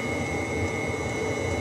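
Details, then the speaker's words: Webasto heater in a bus camper conversion, heard near its exhaust, with the thermostat set to 26°C and the bus at 22°C: a steady, even hum with a constant high whine from its small pump, no surging. Running normally. "Donc voilà, le Webasto, il tourne vraiment bien celui-là. Franchement, c'est nickel."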